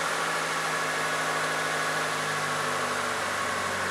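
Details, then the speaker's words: 1998 Mitsubishi Colt, over 120,000 miles, after throttle body cleaning: even steady idle, no hunting or stumbling, smooth settled hum; idle now stable, throttle pedal no longer sticky. "can hear the engine runs much smoother than from the beginning also the throttle pal doesn't feel so sticky and the engine nicely holds idle revs"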